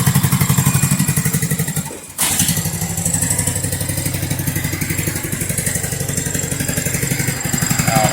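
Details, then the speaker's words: Poulan riding mower single-cylinder engine, rocker arm stud bodged with bolt jammed in, head still needing replacement, tested briefly cold: steady thump about four beats a second, one brief dip then recovers; runs well enough. "But this is just to see if that engine was good enough to go ahead with a head. Now here you go. Sounds pretty good."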